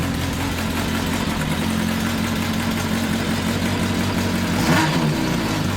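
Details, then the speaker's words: 1982 Kawasaki 750 LTD four-cylinder, first start after rebuild with new battery and temporary DIY air filters: uneven, lumpy idle with wandering speed; engine runs but carburetors still need a lot of adjustment. "wow well as you can hear and can see probably it still needs a lot of adjustments so that still has to be done"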